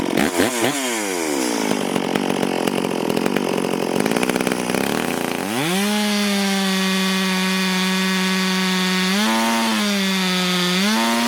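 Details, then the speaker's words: Stihl MS440 chainsaw, owner reported it down on power, test run before port work, cutting wild oak on the ground a few years: holds strong steady revs buried in the cut, screams up clean when clear; self-feeding, pulling good chips, normal cutting under load. "As you can see, that thing's self feeding and pulling good. Pulling pretty good chips for wild oak."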